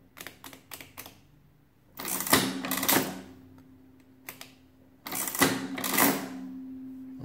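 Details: Wales adding machine after cleanup and repairs: two crisp bursts of clattering mechanism a few seconds apart, each cycle finishing cleanly with no binding; working properly though needing a new ribbon.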